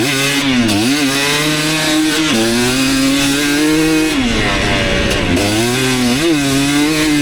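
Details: 2019 KTM 250SX two-stroke, Lectron Billetron 38 Pro carb, on track: metallic rattle under heavy load at about quarter throttle; detonation the owner attributes to a lean torque jet, to be richened about half a turn.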